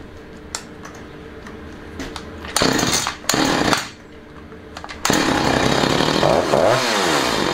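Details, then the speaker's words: Husqvarna 345 chainsaw after rebuild, initial start and rough carburetor adjustment on old diaphragms; short blips then high rev that rises, sags and hangs before dropping, suspected running slightly rich; uneven revs. "Myślę że jeszcze dopieścić bardziej bo przy zejściu z obrotów troszeczkę obrot jeszcze utrzymuje także gdzieś to paliwa gdzieś tego paliwa więcej dostaje"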